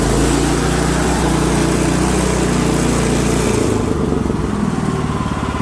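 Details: Almost-new Yardworks snowblower by Champion, previously a no-start, after fitting a new spark plug (NGK BPR6ES / Champion RN9YC): single-cylinder engine runs steady and even at high throttle, no misses, then drops off cleanly; healthy running.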